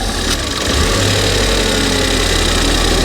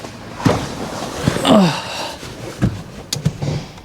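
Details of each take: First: Ford Fiesta ST180 on a ramp after a non-runner revival: loud, steady idle with light ticking from a leaking manifold, otherwise even and healthy; idle normal once the snapped intake pipe fitting is blocked by finger. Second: Ford Fiesta ST180 bought as a non-runner, on the ramp: idle hunts up and down, becomes perfect when a finger covers the leak and hunts again on release, proving an intake manifold air leak.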